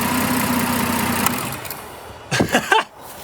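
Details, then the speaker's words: Toyota petrol engine with erratic idle and stalling when braking; the MAF sensor had been unplugged for a test. Reconnecting it makes the idle sag low and uneven, then the engine dies. Owner suspects a faulty mass airflow sensor. "bad bro it killed the car okay problem solved I guess"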